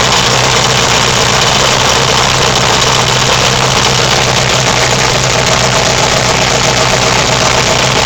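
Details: Turbocharged, MegaSquirt fuel-injected Yamaha XS650 twin, first start after build, right cylinder leaking oil and due a top-end rebuild: steady idle with busy mechanical clatter and low exhaust throb at constant speed.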